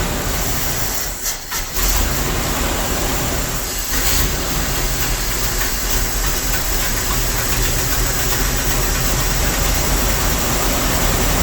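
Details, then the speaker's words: Dodge W300 Club Cab V8, started with choke and smoking heavily, worse than before: loud, lumpy idle with an uneven, stumbling beat that barely holds idle; multi-cylinder misfire. "It's smoking just as bad, if not worse. And now it don't even want to idle."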